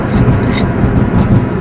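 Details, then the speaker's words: Ford ZX2 converted to electric, first test drive, third gear, 50 mph, heater off: even road and tyre rumble with no whine, knock or clunk from motor or gearbox; drivetrain incredibly smooth. "we're doing 50 mph and it actually sounds incredibly smooth and uh very"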